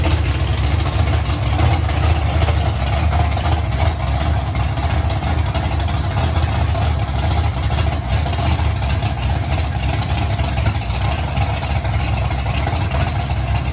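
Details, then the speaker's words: Mustang V8 first fire-up months after a fire, with the oil pump prime screw broken off: big lumpy idle rumble with an uneven beat, as if not hitting on all cylinders. Cause unconfirmed; idle to be raised and a valve cover checked. "kind of sounded like it wasn't hitting on all cylinders."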